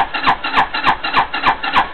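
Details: 260cc scooter with a newly fitted carburetor and fuel refilled: steady starter cranking, about three compression pulses a second, no catch or pickup; cranks but won't start, cause not confirmed.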